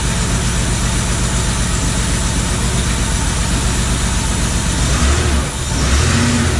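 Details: Porsche 911 first start after wiring pin fix: flat-six catches and holds a fast, even idle with a quick blip near the end; runs cleanly and steadily.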